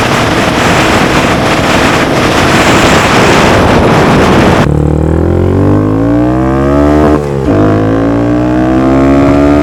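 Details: Honda Grom accelerating after DHM S1 camshaft install with aftermarket exhaust: heavy wind rush, then a clean single-cylinder tone rising smoothly through the revs; gets up to speed quicker; normal running under acceleration.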